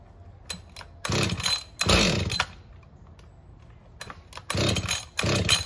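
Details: Husqvarna 562XP chainsaw, hard to start and won't idle, with a bent leaking decomp valve found and the fuel filter replaced: fires in short raspy bursts that die away instead of idling; still faulty.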